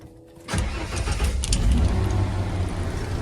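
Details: 1994 Ford F250 after cycling the clutch: short crank, catches within a second into a steady, even idle with no stumbling or misses; a normal start.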